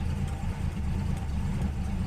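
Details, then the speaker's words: 53-year-old Plymouth Slant Six at about 12°F, choke presumably still engaged and probably already loaded up from the morning: low, lumpy, uneven rough idle with a pop, gassy and overloaded. "we hear that pop that's what it is i want to send that thing back to china wherever it came from now it has a nice gassy overloaded gas"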